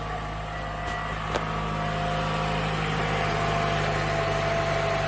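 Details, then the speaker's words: 2014 Toyota Camry four-cylinder, formerly hard-starting with long crank and P0171 lean code from an improperly installed fuel pump; after the fix, fuel pressure holds and it fires right off on restart, settling into a smooth, even idle. "So, this thing should fire right off now. on a restart. Yep. It would never do that before."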